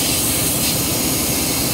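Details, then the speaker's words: Steady, sharp hiss of air escaping at the trailer gladhand coupling on a Mack truck in brutally cold weather, still leaking after reseating the gladhands. The rubber grommets are suspected and are to be replaced. "no still leaking oh yeah still leaking if you can hear that Air's coming from right in there"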